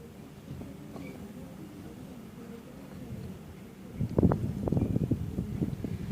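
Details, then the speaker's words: Fiat Polonez gearbox knocking right after start and clutch release on a -30° morning: low drivetrain rumble then uneven hard knocks; first suspected input shaft bearing, found chipped gear tooth catching as it meshes. "обнаружили здесь скол зулуса щас вот думаю видно скол зубца получается когда он входит в зацепление она об и упёрлась"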